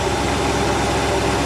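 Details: 1986 Shamrock 20 boat, Ford 302 V8 revived after 3 years unstarted: steady even idle rumble with no misses, knocks or hunting; running smoothly and getting fuel.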